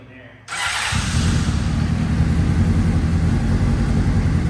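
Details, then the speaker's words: Abandoned Honda CBR600RR: quick crank catches straight away, settling into a busy, even idle with steady low rumble; sounds healthy. "Runs though. Sounds really good. Sounds [ __ ] great."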